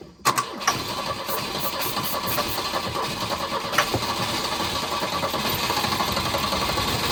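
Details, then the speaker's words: Volvo 242 abandoned long in the woods, first start: cranks, catches, then a ragged, uneven idle with irregular pulses and no knock; owner suspects it needs carburetor work and fresh fuel. "I don't know if you want to call that running, but it runs. It's not knocking or anything. That doesn't sound good. So, I mean, it runs. It just needs... It needs carburetor stuff and fuel and all the things."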